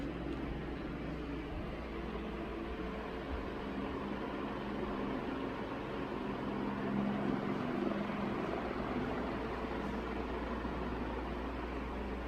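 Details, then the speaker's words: 1981 Evergo 36-inch industrial ceiling fan, model 3E-6, cast-iron motor with aluminum blades, at full high speed: steady smooth rush of air, no ticking, wobble or grinding, tripod bumped; bearings somewhat stiff but not noisy; normal running. "this thing flies on high speed just bump the tripod again"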